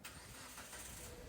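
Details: Proton Saga after an extra-wire fault that kept the engine running with the key off was fixed by removing the added wire: brief crank catches straight away and settles into an even, steady idle, a normal start.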